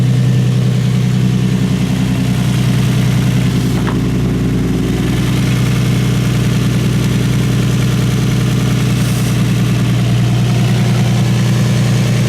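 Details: Infiniti G35 V6, just after replacing spark plugs: firm, steady idle with an even low pulse and no knocking, misses or blow-by; running smoothly and healthy.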